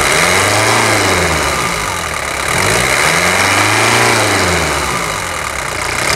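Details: 1997 Toyota SW4 3.0 1KZ-T turbo diesel after full overhaul and engine rebuild: revs rise and fall smoothly with even firing, clean throttle response and no knocks or rattles; normal running.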